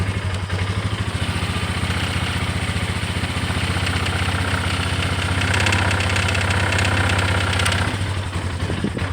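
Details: Polaris Sportsman 400 ATV single-cylinder engine idling evenly, then turning uneven and lumpy with irregular pops and stumbles; it runs well otherwise. Rough idle, cause unknown.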